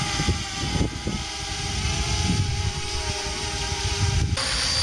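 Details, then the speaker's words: DJI Mini 250 g quadcopter heard up close while hovering: steady, high, screechy buzz with several close tones beating as the rotors interfere, even and unchanging; normal hover. "now is the helicopter we hear more of a of a thumping sound a blade bark from the rotor and a constant Screech from the motor in transmission"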